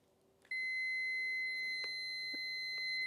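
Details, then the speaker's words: Ignition switch of a 1968 Land Rover Series 2A (negative earth) after cleaning: multimeter continuity beep now sounds steadily at zero ohm, where before cleaning it cut in and out. "You can hear the beeping just almost not beeping and then beeping and then Yeah. So definitely a lot better."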